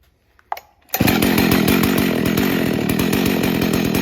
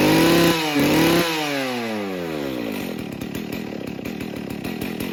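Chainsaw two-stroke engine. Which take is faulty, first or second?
second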